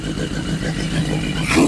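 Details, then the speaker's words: 1981 Yamaha Maxim XJ650 four-cylinder, revived after 20 years, shifted through the gears: runs crisply, pitch rising cleanly as it picks up, no knocks or misses; healthy. "but hey we've got a runner so let's fire it back up I shouldn't have to give it any throttle now so fire it back up and we'll see if it'll kick in"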